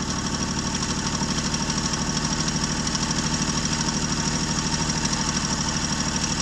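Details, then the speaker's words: 1965 Jeep Wagoneer, original 3.8 L 230 cu in overhead-cam engine, carbureted, running after 20 years sitting, following points and valve adjustment: steady even idle pulse, two to three beats a second, light valvetrain tick, no misfire. "But as you can see here, we're finally there, and you can finally hear it turn on after 20 years."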